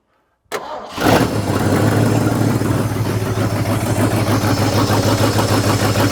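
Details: Scrap-built carbureted gas dump truck, first start in a long time, little throttle given: cranks briefly, fires at once, then runs with uneven lumpy pulse. Owner suspects timing slightly off or big cam; unconfirmed.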